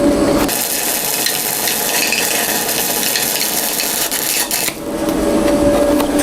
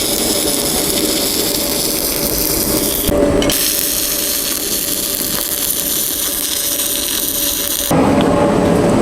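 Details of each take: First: YesWelder MP200 multi-process welder stick welding a 6010 root pass: steady crackling arc with a thin high squeak as the arc stops and restarts; the machine also kept shutting off. Squeak source unclear. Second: YesWelder MP200 multi-process welder (beta unit), stick welding with 7018 rod at about 90 amps; steady, even crackle and sizzle with a brief break, then the same consistent arc, smooth and stable, running better than 6010.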